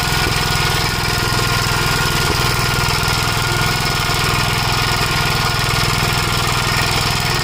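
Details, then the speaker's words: 1956 Gravely Model L single-cylinder under throttle, governor removed, after full-throttle running: loud uneven thump with irregular pops, misfiring, smoking; owner suspects oil-fouled plug, possibly broken ring; carburetor and points fine; unconfirmed. "But you get you can hear that it's popping like the uh spark plug is getting fouled with oil."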